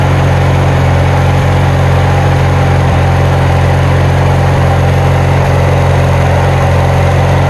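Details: Kohler Magnum 20 mower engine just after first start following repairs: single-cylinder thumps loudly at a fast, fairly steady beat with coarse, slightly uneven tone; owner says it needs adjusting, cause unconfirmed.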